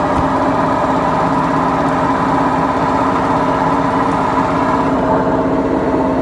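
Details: BEKO washing machine, 7 years 8 months old, with bad bearings: a loud, steady rumbling roar with a coarse hum through the drum spin, drum bearing failure.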